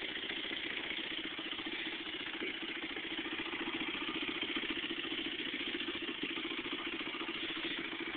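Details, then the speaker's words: Honda CRF100F dirt bike with an FMF exhaust at idle, recorded on a phone: an even, quick single-cylinder putter with a raspy exhaust note and no knocks; healthy normal idle. "Yep this is what this is what she sounds [Applause] like"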